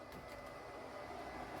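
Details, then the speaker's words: Xbox 360 test console powered on: quiet, steady airy whoosh with a faint constant tone, no clicks or grinding; cooling fan runs noticeably loud, cause unconfirmed. "And holy crap, that's loud. Let me turn it off. Hold on."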